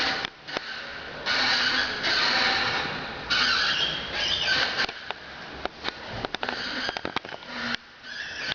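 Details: 2005 Dodge SRT-4 with the original OEM clutch at 13,000 miles: short high squeaks with each clutch pedal press and release. It occurs only after about 30 minutes of driving, never cold, with no gear or shifting problems. Owner suspects it needs lubrication.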